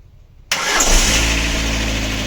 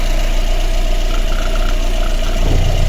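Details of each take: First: Lada Granta at 200,000 original km, first start after a full cylinder-head rebuild for a cylinder 3 misfire, no antifreeze yet: quick crank, catches at once, smooth even idle with no misfire, slight piston noise audible. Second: Lada Granta 1.6, 200,000 km, engine never opened, hot idle before head rebuild: uneven stumbling misfire on cylinder 3 with rumble underneath; no room left for valve adjustment.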